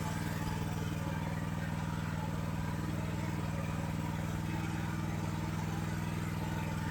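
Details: AGT LH12R mini excavator with RATO engine, governor adjustment to lower idle: steady fast-running engine with an even beat about four per second holding a raised idle; high idle speed.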